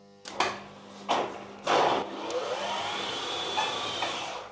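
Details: Schaublin EP-34 lathe Mahou gearbox after it apparently got stuck between gears: three quick clunks as the gears shift on a speed command, then the spindle winds up into a smooth, rising whir. It now shifts normally.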